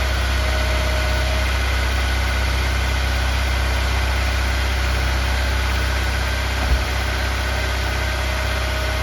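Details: Honda S2000 after heavy smoking and broken parts, started with new belt installed and AC bypassed: smooth, even idle with steady low rumble, about four pulses a second, no knocks or squeals; runs and drivable, though a fault code appeared.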